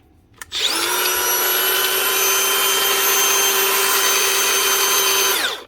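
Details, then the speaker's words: 2019 Makita DGA456 18V cordless grinder after repair (rubbing stator/field packed out, failed head bearing replaced): spins up to a clean, steady high whine. Holds even speed with no bearing rattle and winds down smoothly. "Spot on. That will do the job nicely. And that's it. One Makita grinder. The DGA 456, the field packed out and a bearing replaced in the head."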